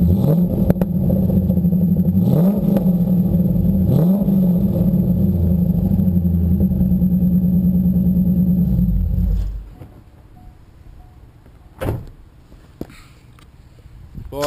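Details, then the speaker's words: Modified 1998 Corvette V8, automatic, with full ceramic-coated stainless exhaust headers; deep, throaty burble with repeated quick blips rising and falling cleanly; strong, healthy exhaust note. "thing's got a hell of an exhaust note doesn't it and that thing sounds great goes really well too"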